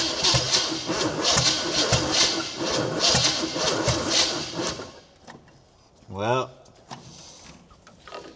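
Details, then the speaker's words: 1972 Chevrolet Chevelle, 350 V8 with 3-speed automatic, sitting since 1982, fan loose from water pump pulley: sluggish, uneven cranking about three and a half turns a second that never catches and dies away; battery suspected dying, not confirmed. "the battery might be dying"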